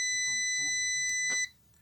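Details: A steady high-pitched continuity-meter beep of about a second and a half, showing a short in the switch of a Hummer PLI12 drill/driver that clicks on and off, won't reverse and makes a strange noise.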